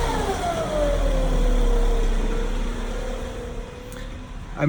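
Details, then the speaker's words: 2012 Acura MDX, timing and serpentine belts and transmission and transfer fluids changed within 7K miles, no power steering leaks or bubbles: whine tracks rpm, dropping as revs fall, seemingly from behind the engine; owner wonders about tensioner pulley, doubts bearing; rpm-dependent whine. "here so here we go okay you can see you can hear it change up and down with rpms"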